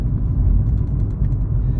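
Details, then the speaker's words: 2017 Nissan Altima on a test drive after brake pad, rotor and spark plug replacement: steady deep droning roar low under road noise; worn hub bearings roaring, need replacing. "the hub bearings is making a roaring noise, so I'll let the customer know as well that even though I replaced the brakes, spark plugs, you do have to change them hub bearings because they starting to roar."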